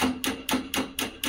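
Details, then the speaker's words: Honda Activa pressing self-start: rapid, even clicking about four times a second over a faint buzz with no cranking; the starter relay contacts spark and separate, to be fixed by filing the relay terminals, battery not at fault. "रहे हैं आप मतलब spark हो रहा है और गाड़ी start नहीं हो रही"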